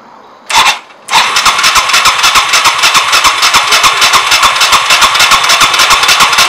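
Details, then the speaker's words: Yamaha Timberwolf 250 ATV after long storage, ignition off so no spark: starter button gives a short bump then steady cranking with quick even compression pulses, no grinding or clicking; starter, battery and button working normally. "What I want to do is actually crank it over, make sure it starts all the way and everything works. Just get some oil moving around in there. Pushing the button for the starter."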